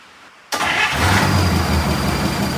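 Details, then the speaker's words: 1951 Buick with Dynaflow transmission, after shift linkage adjustment: cranks briefly, catches at once and settles into a steady, even idle with a low rumble; healthy, quick-starting engine. "This thing starts so good. It's great. Unbelievable."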